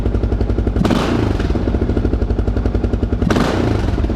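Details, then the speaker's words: Kawasaki KLR650 single after full carburetor rebuild: steady idle thump with two clean blips that rise instantly and drop back, zero low-end lean bog; normal throttle response. "watch this i'll bleep it there's absolutely zero low end uh lean bog or anything like that works perfect"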